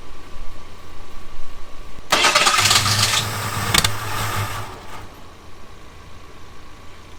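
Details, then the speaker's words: Abandoned Ford Thunderbird pulled from near Amarillo: about three seconds of fast, uneven cranking with a few catches that never become a run, even after starting fluid; owner suspects no fuel getting to the engine. "maybe we're not getting fuel all right so we're going to check a few things i think it's just not getting fuel at this point"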